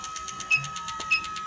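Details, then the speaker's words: Motorcycle fuel injector on a cleaning test bench at low speed: quick, even ticking over a steady bench hum; normal injector pulsing. "that's 5,000 RPM hear how hard that little injector is working just at 5,000 RPM and imagine on a modern four-cylinder with twin injectors you've got eight of these doing this"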